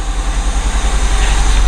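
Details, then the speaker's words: Project Honda Civic coupe engine running after a crank-no-start, plugs already checked: lumpy low pulse and wavering loudness instead of a clean even beat; running rough, cause not yet found. "sounds like she's a little bit off at the moment i've checked the plugs and stuff but it does actually run that's the main thing"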